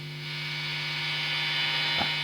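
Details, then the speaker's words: Marshall Origin 20 valve guitar amp rebuilt with a Headfirst Sirius Amps replacement board, master volume turned up; steady low buzz with a clear tone and overtones, a slight mains hum; cause suspected, not confirmed. "well you'll probably hear it there a slight home in the background maybe I'll look at that at another time cuz when you're actually playing through it probably don't matter"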